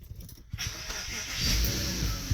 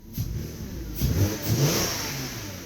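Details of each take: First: Porsche Cayenne cold start about an hour or two after last drive: brief crank, then the engine catches instantly and settles into a steady, even idle; clean, healthy cold start. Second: Porsche Cayenne, engine warmed up, throttle blip: engine rises sharply and falls back with an extra whooshing hollow note from the intake flap as it revs.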